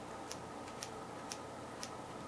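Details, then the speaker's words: Ignition spark test with the engine not running: thin snapping ticks about twice a second, intermittent weak spark. The condenser is missing; owner suspects the battery connection. "so it does spark sometimes all right what not having the condenser is going to give it a weak start"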